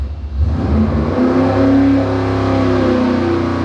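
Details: Dart 400 small-block Chevy on an engine dyno, warm, after a higher-number power valve cured a lean misfire when rolling into the throttle: clean, even full-throttle sweep with no stumble or popping; about 582 hp.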